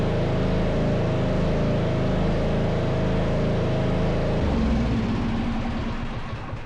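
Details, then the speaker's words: MTD Yard Machines riding mower with 13.5hp Tecumseh engine, poorly maintained, dirty air filter, after replacing the faulty starter: steady even low thumping that drops and settles; running normally. "Success! It was a starter all along."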